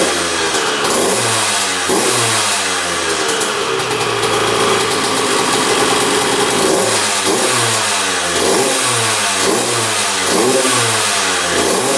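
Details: 2001 Honda CR125 two-stroke dirt bike, started after fix-up, choked: steady idle then clean revs with sharp throttle response, no misfire or knocking; running pretty darn good, normal.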